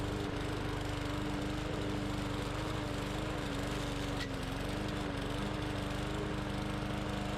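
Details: Bolens push mower, Briggs & Stratton 125 cc OHV engine, brought in for not starting, now cutting soaking-wet grass: steady, even drone under load with no stumbling or surging, running healthy. Some tapping was also heard, so the specs are to be checked.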